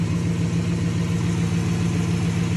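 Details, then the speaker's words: Dodge 360 Magnum V8 with new eBay catback, idling: faint puffing hiss on a steady low idle; small leaks, owner suspects the manifold collectors. "I got a little leak up here, but honestly not. Wow, yeah, and I got a little leak over here too. Those don't sound terrible."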